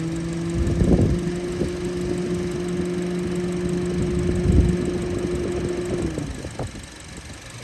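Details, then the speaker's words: 2020 Honda HR-V idling with AC on, one radiator fan disconnected: fan hum cuts out as the lone working fan cycles on the high-pressure switch. "so that is a symptom of one fan not working well maybe a guy who come up to this car doesn't know that that fan motor is bad or maybe a fuse went out"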